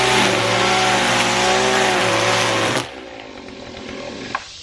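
Engine holds a high, steady rev for a few seconds without sagging, then cuts off cleanly: a healthy two-stroke trimmer.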